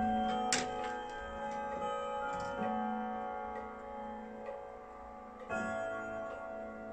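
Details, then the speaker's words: German Hermle three-spring Westminster chime clock with 85 cm pendulum, after movement overhaul, after the three-quarter chime, now set to strike only on the hour, door to be closed: even ticks with ringing bell tones; normal ticking and hourly chime. "Nu mai bate, numai la fix va bate și o să închid atunci ușa să ascultăm cu ușa închisă."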